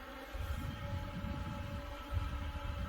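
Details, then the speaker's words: New LitezAll rechargeable lithium-ion mini fan at speed three (top): a steady, even buzzing hum with a rush of air, loud but with no rattle or wobble, pushing a good amount of air; normal running at high speed. "oh yeah that's that's a good amount of air right there that's gonna push all the smoke from the soldering"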